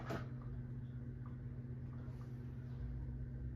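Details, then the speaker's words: 1980s Supreme Mark VI ceiling fan, rebuilt with Casablanca blades and Zephyr irons: a soft, steady low 60-cycle hum at one pitch, which is expected of these fans; normal motor hum. "It has a very much present 60 cycle hum,"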